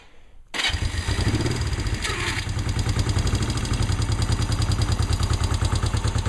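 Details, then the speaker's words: Honda CL350 twin, cold start with the choke about half on at roughly 50–55°F ambient. After a brief crank it catches at once and settles into an even, steady idle with no knocks or misses, a normal cold start. "But yeah, cold start. She starts right up. No problem."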